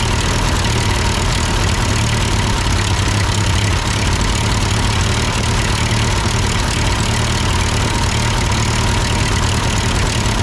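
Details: Ford 8N four-cylinder tractor that sputtered uphill with a cheap Chinese replacement carb, now running after carb adjustment; idles steadily with an even low chug, no stumbling or surging, engine hot. Normal idle.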